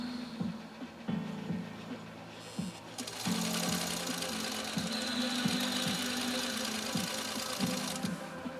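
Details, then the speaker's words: 103-year-old Singer 66-1 sewing machine after restoration, sewing silk thread with size 90 needle: light, even clatter at about four stitches a second over soft motor hum, beautiful stitching: normal sewing operation. "that is some beautiful stitching wow wow"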